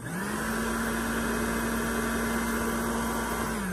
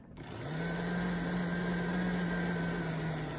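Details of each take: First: Popper coffee roaster with known fan motor defect (fails after 30–80 roasts); this normal unit on high then low speed: steady, even whirring, fan strong and consistent, no wobble or rattle; healthy fan motor. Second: Popper coffee roaster fan motor with a manufacturing defect that appears after 30-50 roasts: it hums steadily, then its pitch sags and drags lower with an inconsistent, lugging speed, the sign of a failing fan motor.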